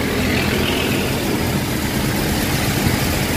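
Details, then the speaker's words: Toyota Revo idling after repair of grinding tensioner pulley bearing on the power steering belt side (bearing replaced, not assembly); steady even idle hum with no grinding or squeal; normal idle, noise gone. "okay na yung ano wala ng ah Ingay bago na"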